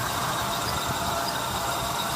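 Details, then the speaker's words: 1978 Buick with .403 Olds V8: thin, steady high squeal over a rough idle, squeaky fan belts; owner also hears a weird whining, wonders if power steering pump. Squeaky fan belt. "squeaky fan belts and all."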